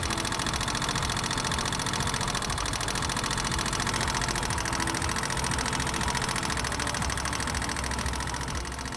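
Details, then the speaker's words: Motorcycle idling with a fast, sharp metallic ticking from the upper side of the engine, rising with engine temperature: tappet noise from a loose tappet screw and nut or excessive clearance, fixed by adjusting the clearance. "sharp metallic noise heard in the idling stage from the upper side of the engine, which increases with a rise in engine temperature."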